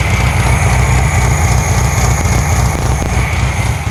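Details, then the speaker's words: Hot new 1600cc engine in a 1968 VW Karmann Ghia after second break-in: low, lumpy, slightly uneven idle about three or four pulses a second, a little smoky; rough idle, still needs tuning and timing. "psi hot on idle here she's a little choppy a little smoky you ever take if it's picking up um she's a little choppy I still got a tune in the car"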